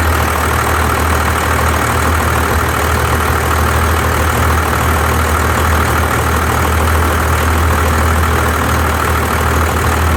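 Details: 1993 Dodge D250 12-valve Cummins diesel idling with an uneven stumbling beat; misfire persists after new injectors, lift pump, shutoff solenoid, valve adjustment, fuel-can test; compression 400 psi on all six; owner suspects injection pump.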